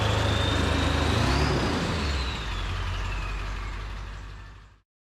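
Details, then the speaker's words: Ford 7.3 Powerstroke, first start after new KC turbo, plenums, up pipes, oil crossover and fuel bowl reseal: rumble easing down as a high turbo whistle slides lower after a rev. Owner finds it much stronger and idle changed, perhaps crossover tube. "it's a lot stronger with this uh with this turbo big big difference amazing difference idle quality is different too I guess that's the oil crossover tube but it idle's completely different"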